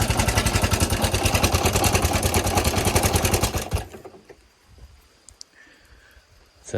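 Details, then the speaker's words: CZ-i110 motorcycle engine: loud fast clattery rattle over uneven idle, then stalls; won't idle, dies when throttled or put in gear, no smoke; suspected timing chain and tensioner noise, not confirmed. "ติดแต่มีเสียงดังมากน่าจะเป็นเสียงจากโซ่ราวลิ้นนะครับแล้วก็ตัวกลไกกดโซ่มีอาการเพิ่มเติมก็คือบิดไม่ไปนะครับบิดแล้วก็ดับเข้าเกียร์แล้วก็บิดไปแล้วก็ดับนะครับ"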